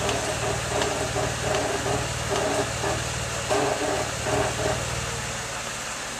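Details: 2003 Mazda6 idling in garage: dry, uneven creaks in short bursts when the steering wheel is turned; also creaks while driving regardless of braking or turning.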